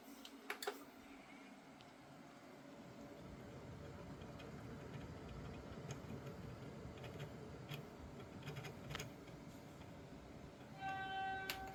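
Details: AIO liquid cooler pump: a faint, steady mid-pitched whine runs under the room hush with light clicking; pump whine.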